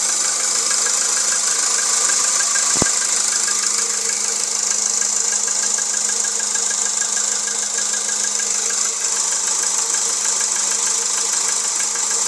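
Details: 1.6 Jetta engine at steady idle: light, regular tapping about two per second over a hissy background; engine knock, cause unknown.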